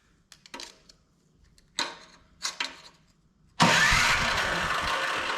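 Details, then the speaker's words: Older Craftsman MTD-built snow blower: a few taps then steady starter cranking that never fires; fuel smelled, plug looks fine and spark found good, carburetor suspected, cranking no-start. "Well, if it was going to fire, I think it would have fired by now. I smell fuel. I wonder if there's no spark."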